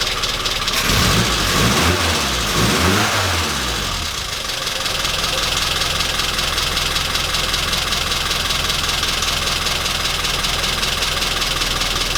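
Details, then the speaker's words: Classic Mini after misfire repair with new rotor arm, distributor cap, spark plugs, and readjusted timing: cranks, catches, then settles into an even, steady idle with no stumbling; running much better. "so my money's now had a new rotor arm new cap new spark plugs the timings been readjusted and it's running hell a lot better so I'm really really happy with the results here"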